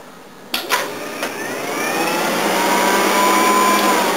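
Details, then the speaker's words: Old Volvo with AFI fuel injection: cranking clunks, then engine catches under a thin steady whine from a very noisy electric fuel pump; still sounds like compression on all cylinders. "It's a very noisy fuel pump that you'll hear."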